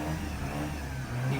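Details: Mazda RX-8 rotary started cold after a no-start, flooded from long cranking; held at high revs with a rough, uneven drone and stumbling as it works the excess fuel out, heavy smoke expected to clear. Flooded engine clearing.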